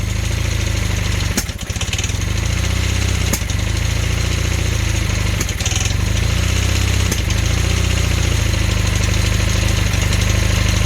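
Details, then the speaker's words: Honda Hondamatic 400 motorcycle started after 20+ years, carbs cleaned, throttled up to fast idle: lumpy running with sharp pops about every two seconds out the carburetor plus top-end ticking; owner suspects a sticking intake valve and valves needing adjustment. "all right let's turn the throttle up a little bit there's a knob underneath [Music] here you can hear the intake valve stick here popping out the carburetor"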